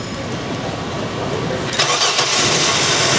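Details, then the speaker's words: 1997 Chevy Blazer 4.3L Vortec, GM central port injection, fires on propane but won't run on fuel: even cranking about four beats per second, bogging and popping through intake, no start; weak fuel pump giving low pressure. "We got a bog popping through the intake. Those are all symptoms of not enough fuel. We have a weak pump."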